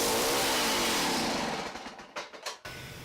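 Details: Small two-stroke ice auger engine: revs hard, then sags, sputters in uneven bursts and cuts out within two seconds; poor running, carburetor suspected before cleaning, Champion J17LM plug looks fairly clean.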